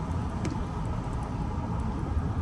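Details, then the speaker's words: Chevrolet Malibu driving at about 15 mph, after the wheel bearing was replaced: only soft low road rumble, no howl or whine; the repair worked and the new wheel bearing sounds healthy. "With that being said, I got the wheel bearing fixed, and it actually drives pretty good. It doesn't howl or nothing, so that's good."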